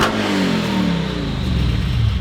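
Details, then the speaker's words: Lexus 3UZ V8 swapped into a Lexus IS300 with 5-speed manual and custom welded exhaust, revving after a massive exhaust leak at an unwelded V-band seam was cut out and welded; clean deep rise and fall, no puffing, slight rattle remains. "Oh man, it's crazy what an exhaust leak does. Holy cow. That's way better. Yeah, it's so much better. Way better."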